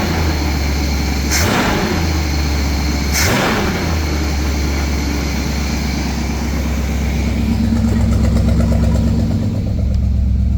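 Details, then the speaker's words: Buick 455 V8 in a Wildcat after idle screw set to about 900-1000 rpm: two quick throttle blips rise and fall cleanly, returning to the same steady idle; healthy response. "Still, the same spot. Beautiful."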